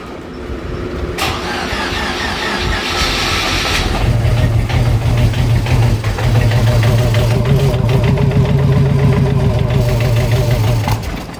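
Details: Supercharged hot rod with new fuel system and Holley Super Sniper EFI, second start attempt after charging the battery, distributor not locked out: a few seconds of cranking, then it catches and holds a rough, uneven idle still needing tuning.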